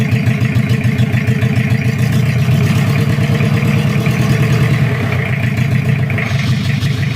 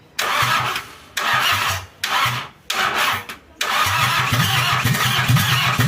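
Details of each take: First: Toyota Kijang 2L diesel, cold, just after first start following an engine rebuild for oil burning, injection pump timing at the zero/standard mark: steady, even idle clatter with a firm low thump and no stray knocks. Normal diesel idle. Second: Toyota Kijang 2L diesel just rebuilt after burning oil, injection pump timing at the zero/standard mark, started after glow-plug heating: cranks in repeated bursts with pauses, then catches into a rough uneven run. Hard starting, attributed to the fresh overhaul.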